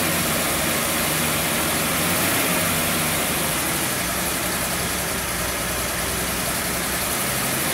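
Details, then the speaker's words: Mercedes 250 SL W113 Pagoda parked in a barn since 1998, running on a temporary fuel pump with rigged return: steady, even engine hum at constant speed with no knocks or misses; runs smoothly. "it's pretty good for a farm for 25 years"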